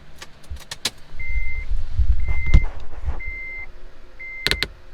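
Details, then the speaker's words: Acura TSX (CL9) plug-and-play aftermarket amplifier: a sharp single pop from the speakers when the amp powers up, because it has no soft turn-on circuit. Turn-on pop. "So the amplifier, when it turns on, doesn't have a soft turn on circuit. So you will get that subtle pop."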